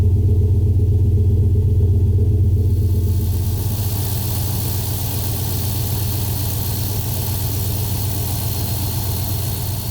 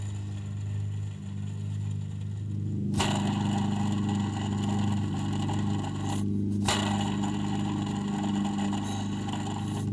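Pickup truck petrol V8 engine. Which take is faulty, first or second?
second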